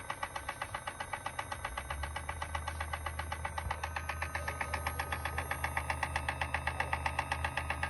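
Sharp, regular clicks, roughly four per second, speed up slightly over a low hum; a rhythmic mechanical click, source unconfirmed.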